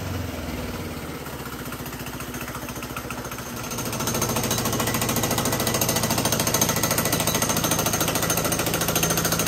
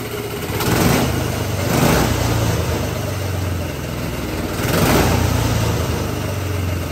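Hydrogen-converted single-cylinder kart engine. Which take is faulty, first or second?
first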